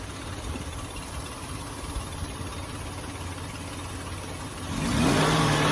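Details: 2005 Ford Taurus after new idle air control valve and ignition coil, not fully warmed up; idle hunts at about three beats a second, rising near end, later stalls; owner suspects air sucked in up top, unconfirmed.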